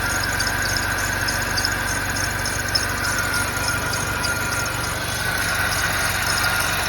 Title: E70 4.8 engine noise when cold outside (below 40F)